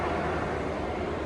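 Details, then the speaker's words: 1973 Chevrolet Impala with Gen V L86 swap, engine not yet hot (gauge about 120–130); fan controller wired to AC, so switching AC on runs both radiator electric fans with an even steady rush, no ticking or wobble; fans set at 160/180; normal fan operation. "So now once I turn the AC on, you can hear we got action out here on the fans, man."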